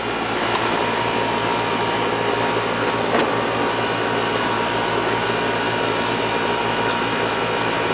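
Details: Outdoor AC condenser for the first floor, compressor about 20 years old, reported running but not cooling; left running to check charge: steady even hum and fan whoosh, no clanks, rattles or cycling; running normally.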